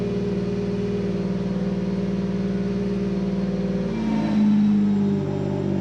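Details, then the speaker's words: Supercharged 3.7 V6 started the day after reassembly following a teardown for rough running: uneven, lumpy pulse about four beats a second, then the note shifts; still running rough, cause unknown. "Sounds, I don't know. Still doesn't sound right."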